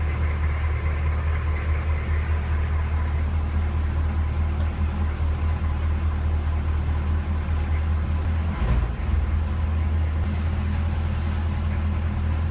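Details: CUCV diesel truck after a preventive starter relay replacement (Doghead mod, NAPA 7018601): settles into a steady, even low idle with no misses, knocks or starter noise; normal idle.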